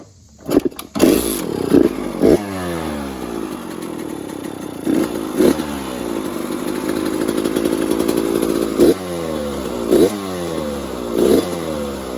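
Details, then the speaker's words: Kawasaki KX100 two-stroke, cold start after a top-end rebuild with a new piston and good compression; revs blipped repeatedly and sweep up and settle with a light dry crackle, normal for a new piston. "wow you can hear that piston crackle that's uh what a lot of two strokers like whenever you rebuild the top end new piston makes that little crackling noise"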